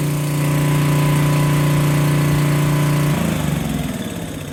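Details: Generac generator that had no spark and wouldn't start, after repair, started without choke with a drill plugged in: steady even buzzing run, no misses or surging, note drops near end; runs smoothly.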